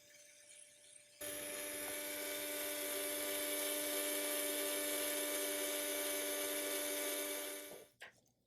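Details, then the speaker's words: Procolored L1800 DTF printer, white ink tank automatic stirring mechanism: small motor whirs at steady even pitch about six seconds then spins down and stops; normal stirring motor operation. "In a DTF printer, the white ink is the one that can cause your issues. And maybe you can hear it's actually trying to stir right"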